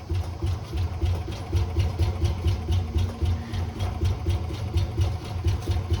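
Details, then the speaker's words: Classic car V8 first started on pure ether, then fed gas: uneven, lumpy loping beat under music, stumbling and not firing cleanly; fuel starvation, it wasn't sucking up any more gas. "well it was running kind of sounded like I do when I first get up in the morning it's uh being troublesome"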